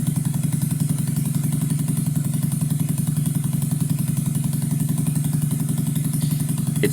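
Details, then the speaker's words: 2009 Skyteam Bad Boy 50cc four-stroke single after idle and air screw adjustment; smoke from old oil now gone. Quick, even idle, a bit high, no stumble or hunting; revs well and doesn't die. Healthy. "seems to be idling very nice now. A bit high, but zero bugs. Oh, it revs nice as well. and it doesn't die."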